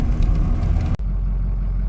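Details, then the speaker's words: 2006 Ford F-350 diesel after crank-no-start fixed by replacing camshaft position sensor and its pigtail plug: steady, even low rumble, no misses or knocks; back up and running, gauges now read properly. Normal running. "now she's back up and running seems to be everything's great now"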